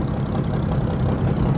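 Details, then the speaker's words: Massey Ferguson 300 tractor six-cylinder, barn find just revived, cold start with oil pressure and charging: steady, even low idle with no misses or knocks; running smooth, though it would not yet take throttle. "Don't really hear any misses or anything."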